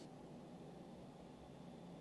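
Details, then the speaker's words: Creality Ender 5 S1 3D printer after silent fan upgrade (Noctua 40mm hotend and power supply fans, modder board V2), one stock Creality fan still fitted: soft, even low-volume fan hiss, no rattle or whine; normal quiet fan noise. "that's what I'm talking about much better sound level Improvement we've still got this one creality fan over here"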